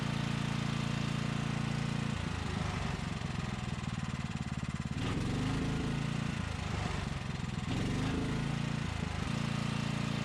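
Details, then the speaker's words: Briggs & Stratton Storm Responder 5500/8250 generator, non-adjustable new carburetor: steady thumping that sags and turns uneven as load comes on, dumping fuel and throwing black smoke; running rich under load, blamed on carburetor adjustment. "And so you could probably see when I would put a load on this thing, it would dump so much fuel that it would start throwing black smoke out. And it's because it's not adjusted properly."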